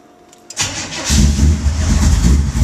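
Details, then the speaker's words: Cold engine fitted with a new intake and a 600 carburetor from a tunnel ram, not yet run that day: brief crank, then it catches at once and settles to a steady, even rumble. A normal cold start. "starts right up a little cold"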